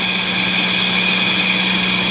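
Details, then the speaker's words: Wheel bearing heard through a Steelman ChassisEar microphone on channel one: steady whirring hum with high-pitched ringing and hiss from a worn bearing; another channel is nearly silent. "channel one making a noise on the wheel bearing"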